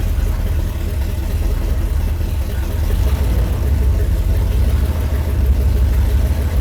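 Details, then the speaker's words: Mazda RX-7 with small-block V8 swap, about 375 hp, after timing, accelerator pump and idle screws were set: deep, steady low rumble at a slow idle about 600 rpm, even and smooth with no misses; normal idle. "We've got our small block powered RX-7 fired up, sounding absolutely killer. I've got the timing dialed in. I put a little bit more squirter in it. I set the idle screws just where I think they need to be. I think it sounds awesome."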